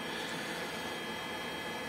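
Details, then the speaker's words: Lavaner 12V 5kW diesel water heater just switched on by holding the controller power button, going through its startup cycle: steady even blower rush with faint hum, no knocks or pops; normal startup. "i've just turned it on no i have to go through a startup cycle shutdown etc"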